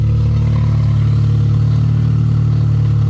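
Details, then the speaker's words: Honda Civic after fuel cell install, first start: steady even low idle with smooth rumble and no misses, knocks or ticks; runs healthy, though fuel pump is loud and a small fuel leak found. "Oh man, she ran so easily. Yo, she's even running really nicely. I just don't like the sound of the fuel pump. It's so loud."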